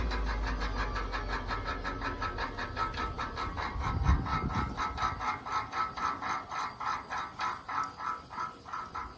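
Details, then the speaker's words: 1586 tractor turbo after engine shutdown: whistles and spins fine running, but winds down with rhythmic clicking grind about two pulses a second, slowing; owner suspects failing turbo, noise newly started; unconfirmed. "it seems to spin fine until you shut it down and then the turbo winds down you can hear it grinding on something"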